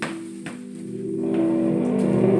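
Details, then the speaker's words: 1960s preassembled Heathkit AA-18 micro hi-fi amplifier, first test on line-level phone input after hum and crackling: thin, harsh, gritty clipped music, very low power, capacitor running warm; distorted amplifier output. "as distortion for days and most Bluetooth speakers I know apply have more power than this thing"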